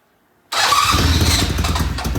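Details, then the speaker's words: Restored vintage British Norton twin, first start in the shop after completion: silence, then it fires at once into a loud throbbing run, left to warm up. "that is coming to life it's alive it's alive all right we're going to let this sit here and warm up"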